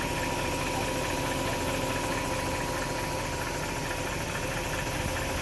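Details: BMW E39 540i V8 idling with a busy, uneven undertone and a faint irregular knock about twice a second; strange noise, source not pinned down.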